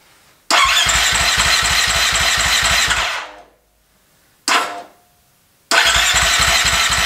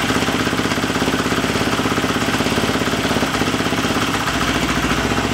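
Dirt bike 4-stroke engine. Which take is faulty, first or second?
first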